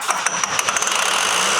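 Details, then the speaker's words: 1300+ hp truck with a new custom billet cylinder head: the starter cranks with quick, even chugging that never fires; fuel is leaking everywhere, possibly something not plugged in. "We gotta have something wrong if it hasn't caught yet."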